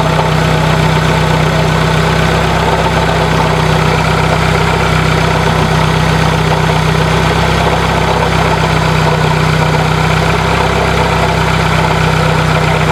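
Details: 1996 Dodge Neon at idle, microphone moved around the engine bay: steady rough grinding/scraping drone under the engine note, louder when revved; worn alternator bearings, narrowed down by troubleshooting.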